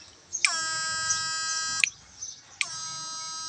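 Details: GM8999 power inverter after repair (customer complained of weak output, switch failing often; relay added to reduce line loss, output rose from 125 to nearly 150): sharp, high steady buzz at maximum setting, stops and returns at same pitch; normal full output.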